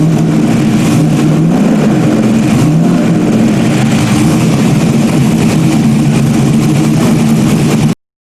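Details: Freshly rebuilt stock-block GM 5.3 V8 race engine's first run after almost a year of rebuilding; fairly even, throaty note with a few light revs, no knocking or misfire heard; running normally.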